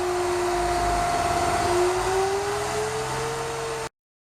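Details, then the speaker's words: GMC New Look "Fishbowl" transit bus, run for the first time in a year: an even, steady diesel idle with a slightly smoky exhaust, and the tone climbs slowly as air pressure builds to release the brakes. Runs smoothly with no misses. "it's a little smoky but it certainly sounds good still not ready to move to somebody who spent a good chunk of their life in the 80s riding these buses this is music to my ears to hear one of these running"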